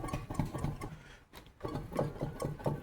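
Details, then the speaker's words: 2005 Nissan Xterra jacked up, driver-side front wheel turning: a low, rough grinding pulsing about four times a second; worn front wheel bearing with play in the wheel, not bushings or ball joints. "Let's see if you guys can hear that. Yeah, it's grinding in there. It also has some play in the wheel."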